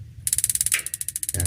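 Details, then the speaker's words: Modena gas water heater (magnet-switch type): rapid, crisp igniter ticking at about fourteen per second for roughly a second, then one solid metallic "tek" click as the gas solenoid valve opens (metal on metal); ignition working normally. "Tik tik tik tik itu pemantik. Itu hanya sedetik aja teman-teman."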